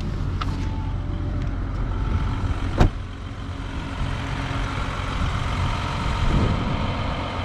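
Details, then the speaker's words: Audi A6 C8, same engine as the owner's jerky Allroad, idling: quiet, steady, even hum with one brief bump, no knocks or shaking; engine much quieter and running smoothly. "dar nu simțiți motorul ăsta e mult mai silențios"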